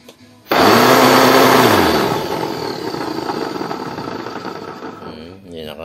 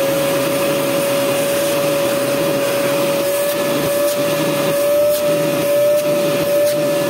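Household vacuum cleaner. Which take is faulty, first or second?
first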